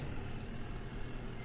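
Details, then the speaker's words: Sanyo SW1070 TK2 manual washing machine spin side, after reconnecting the disconnected door safety switch: steady even low hum from spin tub, no knocks or scraping; spin motor running normally after repair. "Yes, it start working."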